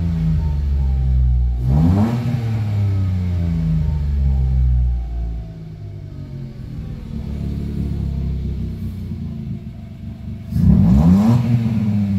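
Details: Mitsubishi Mirage G4 sedan after fixing a crank-no-start caused by a locked throttle body. The engine blips up sharply twice and drops back to a smooth, steady idle each time without stumbling: normal revving.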